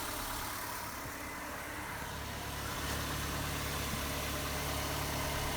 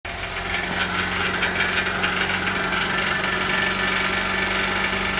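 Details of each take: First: Old, tired engine at steady idle after the fix: even low hum with no exhaust rattle; the rusted-out catalytic converter heat shield, whose bolt holes had broken off, was clamped tight with hose clamps. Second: so that is a rattling heat shield so the first step is to figure out what's rattling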